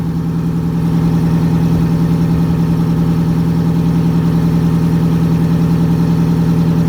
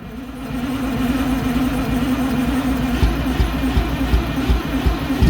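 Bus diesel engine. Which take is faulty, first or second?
second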